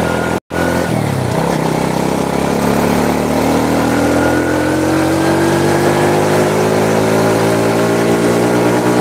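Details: Honda Supra motorcycle shipped in by cargo in a box, after workshop overhaul of a badly damaged engine; climbs smoothly from idle, pitch rising evenly, firing clean with no knocks or rattles: normal running.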